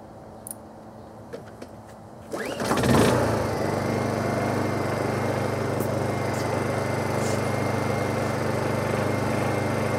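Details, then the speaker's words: Honda EU2000i inverter generator, Eco Throttle demonstration; quick pull start, then a low, steady, very quiet even hum with no misses or rattles — normal idle. "this is what the engine sounds like very quiet"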